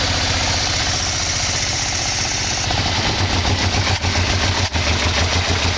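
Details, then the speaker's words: 1987 Yamaha V-Max V4 freshly installed, carbs and exhaust fitted: steady, even idle with smooth low pulse, no knocks or rattles, oil burning off; engine runs cleanly and sounds healthy. "oil-burning off but it was like the motor started right up not making any noise so I would say this is a success"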